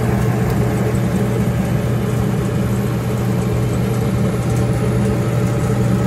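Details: Samsung gas dryer that shuts off about 45 seconds after starting: loud steady hum with heavy low drone and rough whirring; motor starts, clicks, then stops; bad drive motor confirmed, replacement fixed it.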